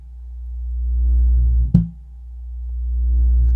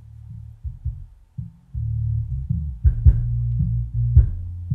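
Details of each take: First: Miller & Kreisel MX-125 Series II subwoofer, 24+ years old, complaint of loud thumping: slow swelling low hum rising and falling every couple of seconds with thumps, no input, cone pumping, current surging; amplifier oscillation, capacitors suspected. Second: Miller and Kreisel MX-125 Series II subwoofer, 24+ years old, loud thumping complaint, after capacitor replacement and deoxidizing bass level and crossover controls, driving small six-inch speakers: clean even bass, no thumping, crackle or dropouts; video lights rattle; playing normally.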